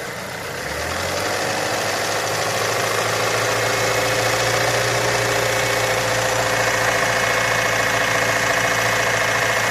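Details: Ford Mondeo 4 2.3 at idle: steady idle with a regular light tapping riding over the engine at a few knocks per second; engine knock at idle, cause unknown.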